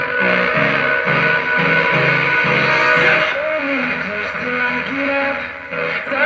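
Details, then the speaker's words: Old amplifier driving a home-theater subwoofer speaker, playing music from an SD card: loud but rough and crackly, breaking up on peaks. Distorted output is the fault to be repaired; cause not yet found. "बिल्कुल बिल्कुल आवाज फटाफट आ तो यही है problem friends"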